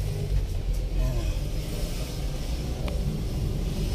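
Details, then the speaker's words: Toyota Corolla Altis on a road test after a no-crank no-start was fixed (a part had pulled out with a worn bushing and was tightened): a low, even road rumble with a smooth, steady pull and no clunks; it drives smoothly again. "Okay na Mga ka- brothers swabeng swabe na uli ang takbo niya"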